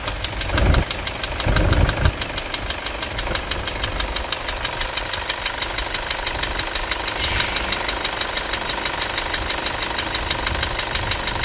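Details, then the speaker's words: Toyota Hilux 2.5 diesel idling after fixing a scraping accessory belt noise first blamed on the alternator: usual engine knock remains, but no belt squeal or scraping; belt drive now fine. "vamos escutar ver se o barulho aquele barulho de Correia parou vamos escutar vai lá"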